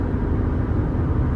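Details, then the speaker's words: In-cab recording at highway speed, Mickey Thompson Baja Boss A/T tires at about 60,000 miles: steady low hum under road roar, nothing rhythmic or knocking, steering wheel steady; tire hum. "hear the little hum. Everything's, you can see my hands solid on the wheel."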